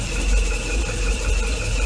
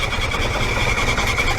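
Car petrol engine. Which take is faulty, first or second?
second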